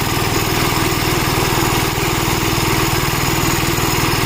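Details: Gravely Model L tractor with governor, already run earlier, after its blown head gasket was replaced; fast, even single-cylinder putter held steady by the governor, no misses or knocks. Runs strong, though an oil leak remains to be found.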